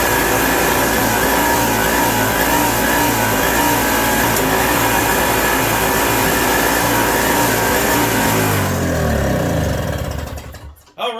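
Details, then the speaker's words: 1987 Toro CCR 2000 two-stroke snow blower after carburetor replacement, still cold: a steady, even two-stroke buzz holds smooth for several seconds, then winds down cleanly at shutdown. Normal, healthy running. "There we are. Running real good. She's cold still, but running really good."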